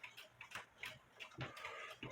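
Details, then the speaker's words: Black Forest Biedermeier box clock, circa 1870/80, wooden plate movement, being repaired; ticks unevenly spaced, short gap then long gap repeating, pendulum out of beat because the case is not level, as the bubble level shows. "You know, it was level on my desk. I don't know if it's level now or not. It's almost midnight. My eyes are crooked. That's why you have a bubble level. It's not level."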